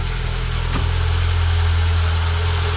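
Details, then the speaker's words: Citroen ZX Avantage 1.4i TU3 petrol, first start in about six months: steady, smooth low hum with an even beat and no knocks or misses, no warning lights; normal idle. "This is first start, guys, in probably 6 months. And there we go. No warning lights."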